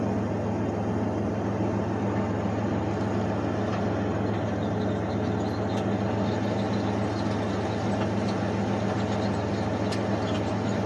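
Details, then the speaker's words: Idle with the clutch pedal pressed: an even whirring hum at steady pitch, no knocking. Failing clutch release (throw-out) bearing, replaced only 5,000 miles (about five months) earlier. "a throughout bearing is the throw up bearings when they go out you'll hear noise when your clutch is pushed in"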